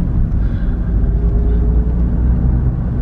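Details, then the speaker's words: Suzuki Swift, about 2009, returned for gearbox damage with fifth gear reportedly jumping out on the motorway; road test after repair: steady low road rumble, even engine note, no whine, clunk or grind through gears including fifth; normal gearbox operation. "Gänge funktionieren super. Ohne Probleme. Ich mache jetzt auch noch mal den 5. rein. Zack, 5. Ast rein. Getriebe macht keine Geräusche."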